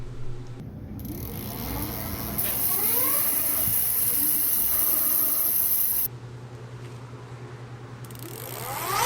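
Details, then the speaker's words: Super73-Z1 e-bike hub motor after freewheel replacement fixing hissing, squeal and clunk: low motor hum with light, even freewheel ticking, no squeal; hub sounds healthy. "oh my gosh right away listen to that no noise it's just humming it's beautiful"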